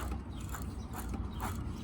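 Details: Motorized bicycle rear wheel after disassembly and fully greasing all bearings: light, even freewheel pawl ticking as the wheel spins, with no grinding or rough patches; freewheel running smooth and healthy.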